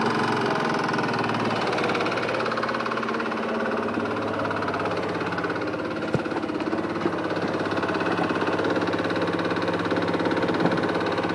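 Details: Yamaha X-Max scooter engine idling: light, regular ticking of about three or four clicks a second, apparently worse when warm.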